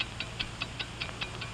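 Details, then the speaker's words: Mechanical wristwatch ticking steadily and accurately at five ticks per second; crisp, perfectly regular ticks with nothing else rattling; healthy, normal running. "do you hear it's the ticking of a fine one wherever you go whatever you do America's fine watch ticks steadily accurately on five ticks every second"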